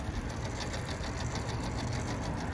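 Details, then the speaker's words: Walk-in cooler that iced up, after a pump-down test: the defrost time clock motor gives a fast, steady, buzzy rattle like a small sewing machine and sounds rough. Suspected smoked-out defrost timer; the unit comes back on after the time delay. "if the defrost timer smoked out we'll see if it advances that sounds a bit rough there we go came out of our time delay our unit's back on"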